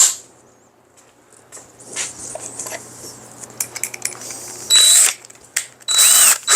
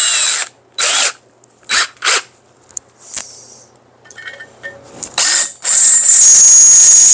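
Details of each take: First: Chips are flying now. There it is. And see how the drill bit just kissed it. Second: Huh. Hear that squeal? That means it's not sharp. But it's still taking out some metal.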